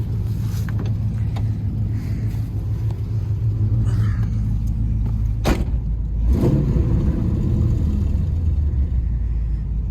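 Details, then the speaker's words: Trans Am warm idle after about 15 minutes of running, radiator fitted, not overheating: a loud rough idle with an uneven puffing tick over the rumble. Bad exhaust manifold leak, still leaking through or beside an earlier JB Weld repair that may have cracked further. "it's been running here for about 15 minutes not overheating or nothing it's got the uh horrible horrible manifold leak though"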